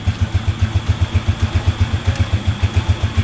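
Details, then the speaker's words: Rusi TC 150 motorcycle after fitting TMX 155 parts, reassembling the crankcase and adding oil: steady even low thump at idle, about four beats a second, no knocks or rattles; now quiet and healthy. "Yan, okay na siya, wala na siyang kaingay-ingay."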